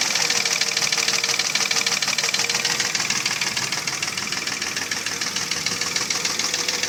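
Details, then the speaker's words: Mercedes ML320 with 3.2 L M112 engine: hollow, clattering metallic knock about three times a second at idle, pistons loose in scored cylinder walls; piston slap from cylinder scoring. "Но суть того, что задиры, это стук из-за задиров. Поршня болтаются в гильзах. И вот этот стук издается такой."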